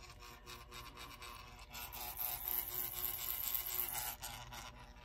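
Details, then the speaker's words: 1930s Continental electric clock synchronous motor, first power-up after an ohmmeter check: rough buzzing rasp with fast, uneven chatter; runs but very noisy, a dry, dirty mechanism needing cleaning and lubrication. "well we got something going kind of noisy so there may be hope for this but that is one noisy"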